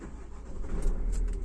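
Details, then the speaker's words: 2023 Renault Master 4 diesel that would not start in gear even with clutch pressed; shifted to neutral: short crank catches quickly, settles into low even diesel rumble, keys rattling; normal start and idle. "машина завелась на передачі"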